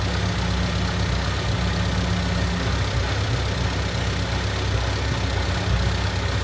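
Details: Honda Civic hatch after valve seals, timing belt and water pump job, timing set to 16° with timing light, not yet at temperature: steady low cold idle, even with no knocks or ticks; sounds healthy.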